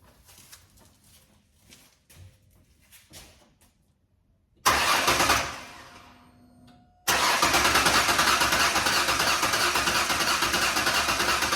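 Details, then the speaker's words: Ford 4.0 first start after engine repair: starter cranks fast and evenly about three turns a second, never fires; crank no start, later found an unconnected wire on back of coil pack. "And on the back of the frickin' coil pack is a wire that I didn't hook up."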